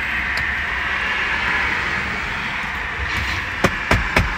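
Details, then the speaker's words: Tesla cabin on the road after foam strip fitted to the B-pillar seat-belt adjuster clip that hit the metal body: steady even road hum with only a few normal road knocks, the rattle is gone. "了正常的敲击音之外 ，OK， 已经没有异响了。"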